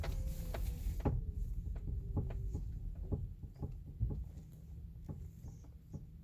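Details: 2018 Chevrolet Bolt at low speed: irregular creaks and short squeaky clicks over a low rumble. The noise persists after the dealer replaced the stabilizer bar and right link; cause unconfirmed.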